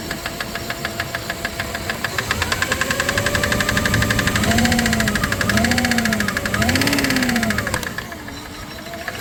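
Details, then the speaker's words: 1997 Dodge Caravan LE idling after a rod and main bearing replacement; sharp, fast ticking about four per second that keeps pace with the engine. Owner suspects something stuck in a pushrod starving it of oil, meaning a sticking lifter. "might be something something that's stuck in the push rod and it's not pumping oil to it"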